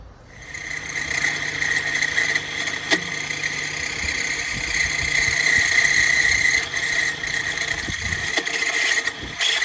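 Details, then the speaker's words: 2013 Chrysler 200 running with no-charge warning light: thin steady high whine under the hood for a couple of days, suspected alternator, which was then replaced. "Okay, so we definitely have the no charging light, and we had that sound coming from under the hood for a couple days. So, sounds like alternator."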